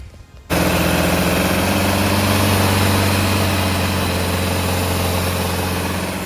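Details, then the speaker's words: Carbureted gasoline Volvo with runaway-like high idle, possibly loose metal part/fuel leak suspected: fast idle, steady low drone with slightly uneven pulse; runs better now but cause unknown, dies when choke pushed in. "okay guys so that's the way she runs she runs better now but still I have no idea why it's doing that"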